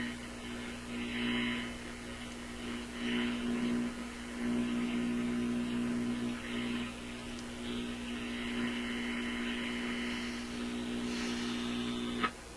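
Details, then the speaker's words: RCA Victor Model 65U radio/record player after replacing power supply capacitor: steady low hum with a garbled warble on the only tuned station, not from audio stage; owner suspects IF alignment and one or two capacitors, unsure. "Well, the radio's working. It's not working well at all, and I think maybe what we'll try is just your basic IF tune-up. We'll start with that kind of stuff, and I think that hummy, garbly sound, it's going to require the replacement of one or two of these capacitors."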